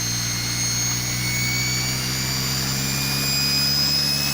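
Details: Salvaged washing machine brushed motor on variable voltage bench test: steady high-pitched whine over smooth hum at high speed, no rubbing or knocking; healthy normal running.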